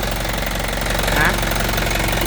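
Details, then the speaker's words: 2014 Isuzu Elf NKR71 long-chassis diesel truck at idle after revving, oil filler open with no smoke: steady even diesel clatter with firm regular beat, no misses or knocks; engine running healthy. "Aman ya teman-teman mesinnya."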